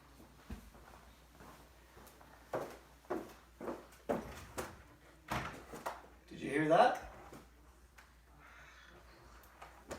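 Between knocks and handling, a rising drawn-out squeal comes as the door swings; dry spring-loaded hinge needing lubrication.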